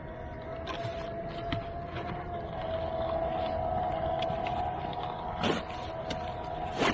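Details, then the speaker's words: Cardboard shredder cutting a thick cardboard strip for worm bins: a steady motor whine holds pitch as the cardboard crunches through in short bites. Cuts cleanly without bogging, so operation under load is normal. "Make sure it's on. There it goes, just like that. Eating it up."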